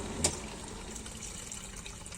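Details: Washing machine draining during a repair check; motor and mechanism are working and the water-level pressure switch is suspected faulty and to be replaced. Steady watery rush and trickle, no pump strain or rattle; draining normally.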